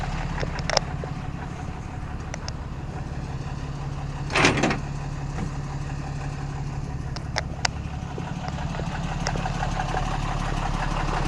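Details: 2014 Ram Mega Cab 6.7 Cummins diesel just started after CAT 1R-0750 fuel filter install, about 10–11 PSI fuel pressure: steady low even idle clatter with a door clunk partway — normal idle.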